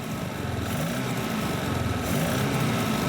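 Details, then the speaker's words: Petrol engine fitted with homemade aluminium conrods cast from soft drink cans: deep, rough knock from inside, about four beats a second, appearing as soon as throttle was applied; the engine stalled and the block broke. "You hear that knock? From inside the engine. It wasn't there on the way up. It appeared as soon as I gave it some gas."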